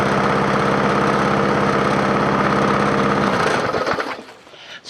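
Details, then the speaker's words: Free scrapyard push mower with a 4.5 hp engine, after the carburetor was refitted: pops along evenly at steady speed, then cuts out and winds down; runs smooth and healthy. "we'll start it up and see how it idles and we'll see if it runs I can't believe it runs"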